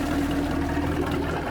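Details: Centurion boat with a Mercruiser 5.0 V8, after replacing a starter with a broken post and the fusible link blown by reversed battery hookup: an even low burble at idle with no knocks or misses. Normal idle; a transmission fluid leak is suspected.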